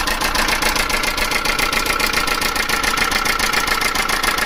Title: Chinese Mini truck engine rattling sound. Any ideas??